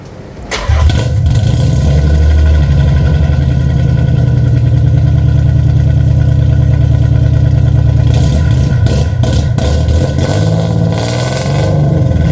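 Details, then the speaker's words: Nissan 300ZX Z32 (VG30DE), existing exhaust before repair: cranks and catches, then loud raspy droning exhaust booming with every blip through hollowed mufflers; excessively loud. "Yeah, as you can see, that would be just ridiculous driving on the street. It sounds like shit."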